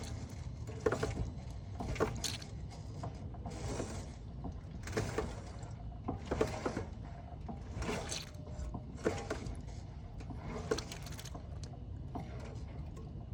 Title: 06 Acura Type S Bad steering sound need help